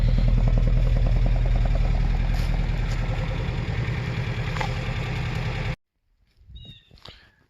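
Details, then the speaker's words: 1979 Datsun 620 King Cab pickup, long parked, jump-started: steady even low burble with quick regular beat and no knocks or misses; smooth healthy idle that still needs a tune-up. "definitely needs a tune-up but it does when you hear people say it runs like a sewing machine this is a prime example sounds like a sewing machine"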